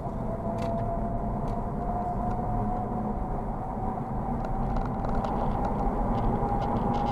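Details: Honda Civic on low-profile Goodyear tires: steady high whine around 1 kHz over reduced road noise, rising louder and slightly higher as it accelerates to highway speed; tire whine.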